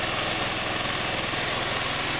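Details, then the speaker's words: GY6 150cc retro scooter (Verano 150 type) on its center stand after a valve adjustment: a quick, even putter at a steady idle with no ticking or tapping on top. It is idling healthy. Normal idle. "rear wheel just a little bit worked out right on the idol sounds like it's running pretty"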